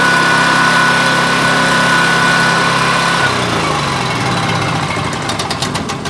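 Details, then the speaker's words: Coleman Powermate 6250 generator with Subaru engine screams at a steady too-high speed, reading 67.8 Hz and about 147 V, then winds down; governor already adjusted fully yet it still overspeeds, output voltage too high. "all right the hertz is 67.8 and the voltage is 147 something that's way too high"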